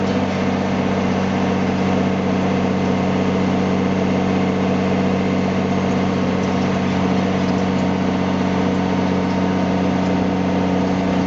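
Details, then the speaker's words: M35A2 deuce and a half truck with newly installed AeroTurbine AT3535XL long muffler with internal resonator, pipe angled at 45°, around 1200–1300 rpm: steady deep throaty diesel growl at even revs, no turbo whistle; normal exhaust note with new muffler. "yeah I heard about 12300 RPM you can hear that like knat growl"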